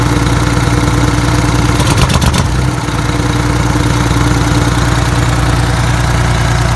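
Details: Detroit 6V92TA two-stroke diesel, idling on test run after installing Jake brakes: steady even drone with deep regular beat, no knocks or misses; oil took a minute to reach the jakes; successful test, healthy.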